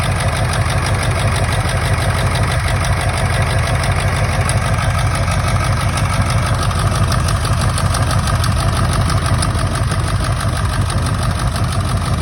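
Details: 1999 Ford F-350 7.3 Powerstroke diesel at idle, still running rough: lumpy uneven clatter with a stumble about once a second, a cylinder not firing; injectors unplugged, one showing no oil; owner suspects an injector, harness to be ohmed.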